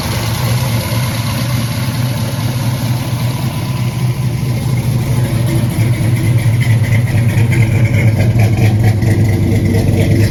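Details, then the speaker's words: '86 Chevy Caprice big-block V8 started after a leaking valve cover gasket was replaced: an even, smooth low rumble with no knocks or ticks, a healthy idle. "I think it sounds pretty good."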